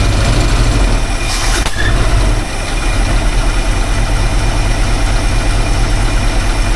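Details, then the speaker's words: Engine after new distributor install: uneven, loping idle with irregular low thumps and a faint squeal; running rough, owner feels something's not right, cause not pinned down. "All right, it's running. Running rough, but she's running."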